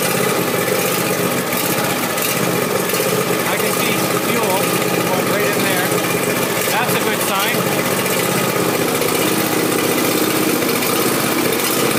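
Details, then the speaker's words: John Deere Z375R ZTrak zero-turn mower running at raised throttle after fuel filter replacement, checking for leaks; steady, busy, even buzz with no surging or stumbling, normal running. "Now we're going to go and start it up, and then we'll immediately check for leaks. Here we're going to go and start it, and then we'll check for leaks."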